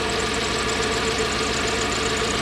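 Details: Toyota 1UZ-FE V8 in a Surf/4Runner suddenly running on half its cylinders, burnt worn-through oxygen sensor wiring found: uneven, lumpy, loping idle with stumbling beat; misfire on half the cylinders.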